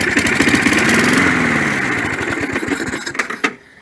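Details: 1965 Briggs & Stratton 82906 3 HP wind-up-start engine, first start after unknown long storage: fires and runs a few seconds, the beat turns ragged and slows, then dies; clogged main jet suspected.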